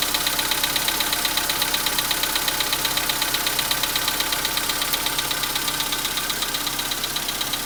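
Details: 2015 VW Polo Sedan, 91,315 km, cold start at about -10°C: crisp even metallic ticking knock about three per second over cold idle; cold-start engine knock.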